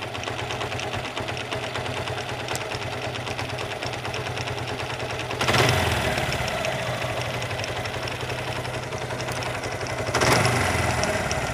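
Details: Suzuki Gixxer motorcycle at idle with a couple of throttle blips: uneven ticking knock about three beats a second, something loose inside the engine; cause suspected, not confirmed.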